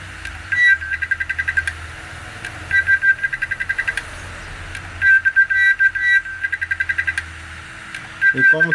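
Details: Desktop hard drive powered in an external enclosure: low hum with bursts of quick, high chirping clicks repeating every couple of seconds. Cause unknown; the drive is likely faulty and headed for disposal.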